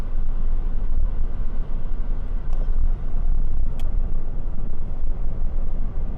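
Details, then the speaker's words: 2005 Mitsubishi Colt after front right wheel bearing replacement, road test at 80 km/h with window closed: smooth road rumble with no growl or hum, and no ABS light; the earlier bearing noise has largely disappeared. "a 80 km aucun bruit fermez la fenêtre à bas le bruit a largement disparu"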